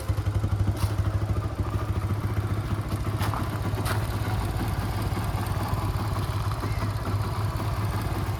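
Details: 2011 Yamaha FZ-16 single-cylinder cold start, push-started after about 7 months unused, fitted with a 150 carburettor due to misfiring; steady low thump, slightly uneven; cold start idle after long storage.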